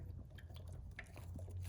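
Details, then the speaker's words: Suzuki GSXR 1000 coolant flush, filling the radiator with water while pinching the coolant lines: soft, irregular wet gurgles and bubbling pops as trapped air is pushed out of the cooling system. "And you can hear it get the air out of the system. So pinch on the line on this side a little. Oh, you can really hear it here."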